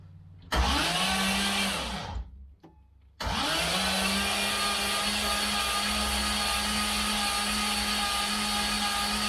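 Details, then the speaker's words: Freshly rebuilt turbo engine (forged pistons and rods, 10.3:1 compression) cranked with fuel pump fuse pulled so it cannot start, priming oil; two bursts of steady starter whine, no firing. "Yeah, should not start. Well, it can't start. We'll see here if I can crank up and see some oil pressure."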